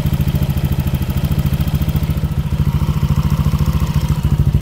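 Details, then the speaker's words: Yamaha Aerox scooter at idle, before repair: a light, rattly ticking rides on the firing beat. The owner suspects a worn cylinder block letting the piston wobble (piston slap) and plans to replace the block with an NPP standard 58 mm unit. "jadi seperti itu suaranya suara motor gua kalau kalian dengar ada suara ngelitik ngericik e Gua yakin itu dari suara blok sehernya yang udah menipis jadi sehernya itu goyang-goyang e jadinya bunyi ngelitik kayak gitu"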